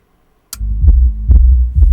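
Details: Soundstream XXX-15000D car amplifier after potentiometer fitting: deep bass thumps in steady pulses over a low hum, no crackle or cutting out; amp working normally.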